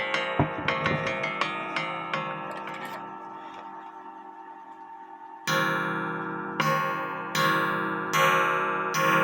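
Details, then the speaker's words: Antique Japy Freres French bakers clock (c.1880–1900) after gong adjustment with the case standing upright so the gong doesn't touch the wood: clean ringing strikes decaying smoothly, no buzz. "now you have to adjust the gong with the case standing up cuz if you lay it down the way of The Gong is going to make it touch the"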